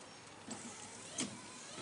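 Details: 2016 GMC Sierra whose high-speed wipers had failed (low and intermittent worked), tested by jumping the underhood fuse box relay terminals to battery feed: quick even swish about every two-thirds of a second, wipers running properly on high; relay the likely culprit.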